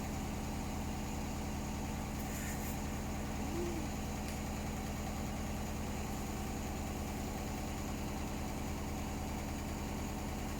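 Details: Hotpoint Smart Tech washing machine on spin, very unbalanced and making strange noises: heavy low drone with a rough thumping beat about three times a second; load badly out of balance, cause unknown.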